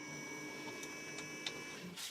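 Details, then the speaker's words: 1999 Acura RL, cold engine, key at the second position before a coolant drain. Quiet electric whir with light dash clicks as the temperature dial is turned to full hot and the heater valve drives open, working normally. "so if i turn this off right now you can hear the noise that's the heater closing and now we'll open it up just turn it slowly"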